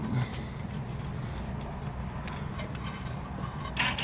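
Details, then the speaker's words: Mercedes ML 350 / GLK rear electronic parking brake caliper, motor driven by reversed-polarity wires to retract the piston for a brake job; steady whining whir until the sound changes, signalling it is fully released, normal retraction. "And hear the whining noise until the sound changes. You keep it going like that. See the noise? it changed."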